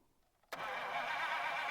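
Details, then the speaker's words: 1951 Buick Super straight-eight, sitting about 25 years, cranked by the screwdriver trick: the starter motor was turning but the solenoid would not kick out until hit with a hammer; a steady electric whir cuts in abruptly and holds even. Sticking starter solenoid. "you know the motor is turning but the solenoid's not kicking out so let me give it some hits with the old Hammer here maybe we can get that solenoid to kick out"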